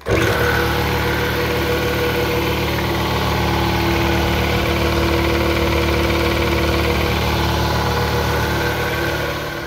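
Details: 60-gallon Husky belt-driven air compressor after belt replacement (A444 L460, tensioned tight): steady even pumping drone with no squeal; previous squealing and bogging fixed, capacitors were not the cause.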